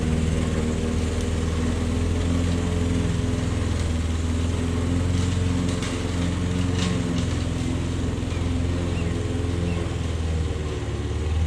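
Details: Old Toro lawnmower that sat for years, cutting grass. A steady, even low drone holds speed without misses or surging. The owner suspects a sticking float dripping fuel. Normal running under load.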